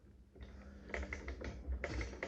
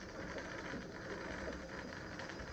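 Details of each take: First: 1885 Singer Improved Family sewing machine sewing four fabric layers: quick run of light clicks and taps as it turns, a slight knock each stitch from play in the aged, worn hook. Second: 1885 Singer Improved Family sewing machine, bobbin winder test: soft even whirring while winding, then a crisp click as it trips off when full; winder adjusted correctly and works.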